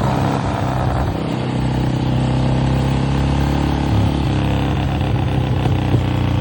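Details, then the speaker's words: 1966 Harley-Davidson Sportster 900 XLCH Ironhead after years of sitting: lumpy, uneven V-twin idle with wavering beat that never settles; carburetor slow jet misadjusted, carb to be removed and adjusted. "Yeah, we definitely got a slow jet. You can hear it. Doesn't sound right. We got to get that carburetor off and adjust that slow jet cuz that slow jet sounds horrible."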